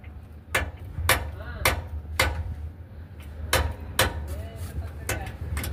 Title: Vibration and knocking sound under seat when cruising